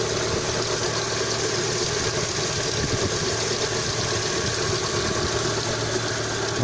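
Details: Lada Kalina 2 at 80,471 km, cold start at 12 °C outside. Steady, even idle with a low drone and no regular ticking; the hydraulic lifter knock, which the owner hears only when hot and under load, is absent cold.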